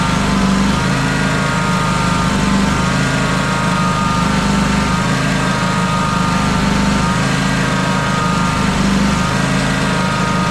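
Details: John Deere X350 mower, after a new electric fuel pump was fitted, idles with a slow, slight rise and fall in pitch and is still surging. Fuel filter and pump are ruled out; carburetor, fuel lines or debris in the old pump are suspected.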